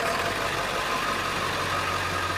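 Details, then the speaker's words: Ford 7.3 Powerstroke diesel after injector harness replacement, idling in garage: loud but steady diesel clatter, even and unbroken with no misses or knocks; running really smooth, normal idle. "but it is running there it is it's running really smooth - it sounds good"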